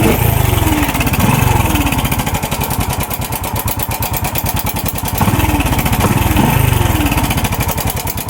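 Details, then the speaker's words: Motorcycle engine: busy metallic top-end rattle rising and falling with two throttle blips, from a weak-spring cam chain tensioner, confirmed on removal. "Ayun confirm tensioner. Confirm guys tensioner."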